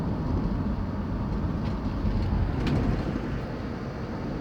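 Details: Van driving over bumps after all four shocks were changed, fixed by packing wire between the loose passenger-side rear shock bolt and body: only steady road and tyre rumble, no rear knocks or rattles; sounds normal.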